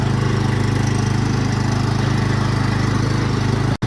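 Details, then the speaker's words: Cub Cadet lawn mower, previously not running, started after just adding gas: a steady, even single-cylinder putter with no misses, then a clean shutdown. Healthy. "so that's great new guys that was all that was needed for the cupc that just needed a little gas that thing is ready to go"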